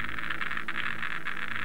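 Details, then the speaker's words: Geiger counter detection head right up to a radioactive source behind a sheet of paper: dense, fast, steady crackle of clicks as beta particles pass through the paper. "bring the detection head right up to the source and as you can hear this one seems to be functioning correctly"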